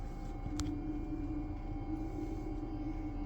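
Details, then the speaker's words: TopsFlo TD5 24V DC brewery pump running with its outlet submerged in the kettle: faint, steady low hum at one pitch, barely any vibration, no rattle or grinding; normal pump running. "Barely a hum or vibration."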